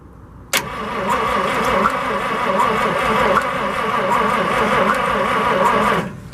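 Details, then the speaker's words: 1963 International work truck 549 V8 with two distributors, after oiling cylinders, gapping plugs, new coil and scraped points: starter cranks steadily about five seconds, no fire or catch, then quits; cranking no-start, no spark. "Power. Try that. And one more. Nothing. No go at the motor show. Nope."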